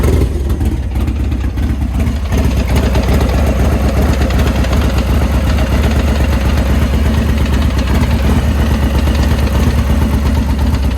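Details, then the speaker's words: Harley Road Glide with a built 124 engine, just back from service, after four blocks of its first ride: loose, irregular clanking about three knocks a second under a lumpy V-twin idle. Failed transmission gear pack; the owner first wondered if it was the clutches. "I don't know if it's the clutches or not, but it definitely sounds like something is clinkety clanking."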